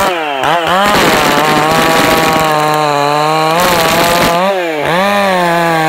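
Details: Stock MS461 with eBay ported muffler, well worn, over a year of cutting; hand round-filed chain used a week, no touch-ups; cutting a cookie off felled red oak. Steady high note under load, pitch dipping and recovering cleanly: sharp chain cutting under load.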